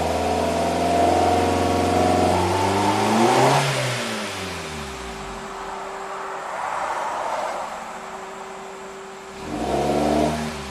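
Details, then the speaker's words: 2008 Suzuki SX4: revs climb at full throttle, stall briefly, then pull again. A flat spot remains but it now passes the wall better and isn't stalling; cause unknown. "It's not running like complete garbage now. I mean, I'm still flooring it, but at least it goes through the wall better than before."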